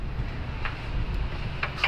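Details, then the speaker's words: Overheated Toyota Vios 1NR engine, cylinder head off, turned over: sharp, uneven metallic knocks from the number 4 piston, which knocks badly; number 1 quiet. "Hindi pa natin natataas yung ibang piston, pero sa number 4 pa lang sobrang lagatok na yung piston."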